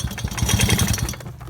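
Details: Tomos Streetmate R two-stroke moped idling with a sharp, rapid tick on every beat, sounding the same however tight the spark plug is; a cord going to the cylinder had been removed.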